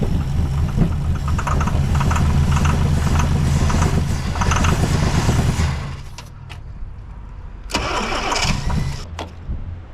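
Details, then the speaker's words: 1963 Plymouth Belvedere, sitting since 1978, first start on about the tenth try with choke and fuel poured in: catches after cranking, runs a lumpy uneven low beat for several seconds, then falters and dies. Rough running. "Look at that guy, she's running. She's running a little bit rough, but"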